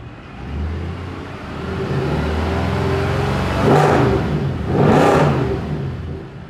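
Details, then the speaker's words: Mercedes C63 AMG after replacing a faulty exhaust camshaft actuator: engine catches, settles into a steady idle, then two clean smooth revs; running properly. "so like i had said i wanted to start it up so you guys could hear what a amg sounds like running properly"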